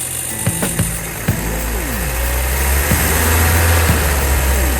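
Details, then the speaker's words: 1980 Toyota pickup with a rebuilt 22R engine (.040 oversize pistons), first run after the rebuild: revs blip up and fall back quickly on each throttle stab with no stumbling. Response is healthy, though the throttle isn't springing back on its own. "Runs really good. Very responsive."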